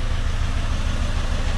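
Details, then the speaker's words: Peugeot 206 three-cylinder revving: deep, regular thumps about seven per second from the exhaust. Unburnt fuel from a non-firing cylinder ignites in the catalytic converter; injectors not blamed. Misfire popping. "bom então pronto já deu para vocês verem isso é sintoma de um carro que o combustível tá passando o fruto para o escapamento tá"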